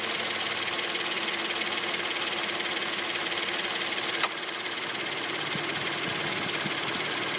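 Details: Scion FR-S: rapid, high-pitched chirping about three or four times a second from under the hood over a thin, hissy engine sound.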